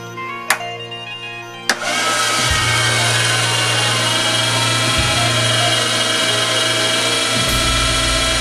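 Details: Motorised standing desk drive, modified after the motor kept tripping its power supply when raising: a couple of clicks, then the motor spins up to a steady, even whine with no grinding while lowering slowly; runs fine.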